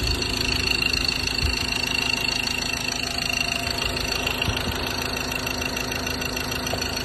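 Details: 2015 Ford Ranger 2.2 diesel at idle: a fairly regular light ticking, about 200 per minute, over the usual diesel clatter; owner asks what makes this noise, source unidentified.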